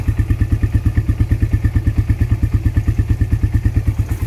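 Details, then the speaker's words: Used Suzuki Satria FU inspected at idle before purchase: steady single-cylinder thump with light regular tek-tek ticking, engine slightly rough, exhaust a bit rough too; cause unclear. "Suaranya kayak gini teman-teman sebenarnya nggak alus-alus amat ya malah agak sedikit kasar ya Ada suara tek teknya suara mesinnya ada suara tek-teknya ya sedikit ya"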